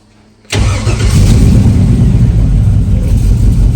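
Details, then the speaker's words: Project vehicle with a fresh S10 master cylinder and Malibu booster, owner also wondering about a vacuum leak; engine catches and settles into an uneven loping idle about three beats a second, missing on about three cylinders. "I mean, it's got that cool hot roddy lope to it, but it's because it's missing."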